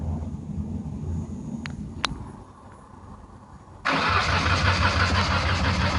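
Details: 1993 Ford Taurus SHO manual: starter cranks with a steady chug about three beats a second but engine never catches; fuel pump, filter, crank and cam sensors, plugs, injectors, ignition module, coil pack and CCRM replaced; spark present, crank sensor believed good.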